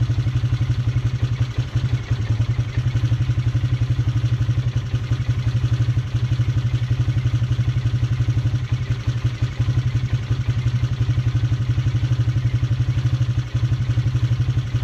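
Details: Polaris Sportsman 300 ATV idling after timing chain and valve adjustment: steady single-cylinder idle with light, even tick about four times a second on the exhaust beat; owner suspects valve tap, source still unknown; top-end ticking.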